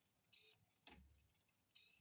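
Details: L-Twoo AE electronic rear derailleur on a 9-speed cassette, set up using the app's 10-speed setting: two short, clean motor whirs, each followed by a crisp chain click onto the next cog. Shifting works properly.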